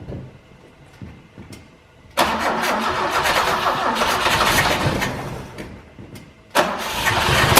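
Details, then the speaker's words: 1968 BMW 1602 after 10+ years of sitting, carburetor spraying and the coil seemingly fine, starting ether weak. The starter grinds it over in two long bursts with uneven firing but it never runs. Owner suspects the old gas is nonflammable; crank no start. "it's spraying it's good I mean I don't know why it's not starting to gas probably just like nonflammable at this point"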